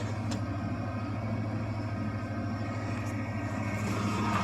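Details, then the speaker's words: 1993 Ford F-150 5.0 302 V8, cold start in snow after sitting a month or more: fires right up on the key, settling into a steady, even low rumble with no knocks or misses; healthy normal cold-start idle. "well it's got battery juice yeah look at that just hit the key fires right up that was"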